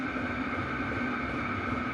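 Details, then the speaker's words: Chinese diesel heater in a truck rig, hot and settling to normal operating pace during CO test; steady even hum and whir, pump tempo dropping, no surging or sputtering, running normally. "Okay, you hear the tempo, it's starting to drop down. It's getting to what I call normal operating pace."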